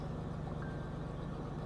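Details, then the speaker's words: Ford Ranger with junkyard engine after replacing missing PCV valve (cause of high idle) and battery disconnect for ECU relearn: smooth even low rumble, no hunting; idle no longer shoots to 2000 rpm in neutral, sounds much better. "we let her idle a little bit that's way better we let it run just a little bit then we'll try her out that sounds so much better already"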